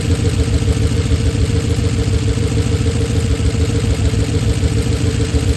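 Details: Oldsmobile Super 88 V8 at low idle, warm, after timing adjustments: uneven, lumpy low rumble with faint puffing beat; rough idle, smoother before timing work. Hard to restart when warm; exhaust damaged and missing bolts, owner unsure if that causes noise.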